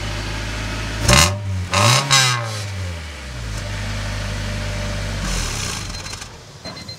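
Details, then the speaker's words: 1997 Honda Civic coupe with new rear muffler, no catalytic converter: loud raspy buzzy exhaust note on each rev; resonator core thought largely missing, owner considers adding a glass pack. "and as you can hear there's a little bit raspiness going on I think I need to put a glass pack in line because it has a resonator but I think a lot of the core of the resonator is missing"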